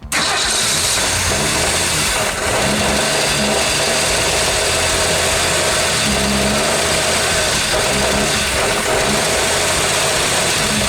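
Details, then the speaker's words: 1965 Ford Mustang first start after sitting since 1990, grounds cleaned, good battery, freed seized carburetor butterfly: engine fires and settles into a steady, even idle with no misses, partly masked by music; running normally. "she runs she idles"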